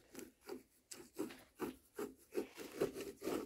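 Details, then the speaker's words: 2008 Jeep Compass with humming noise: removed inner wheel bearing turned by hand gives dry rasping bursts, about two a second; the outside looks good but the bearing is gone, the cause of the hum. "I don't know what it is about the inside bearing this one's all right but the inside bearing you can hear it hear it freaking gone oh so now we are it was our issue"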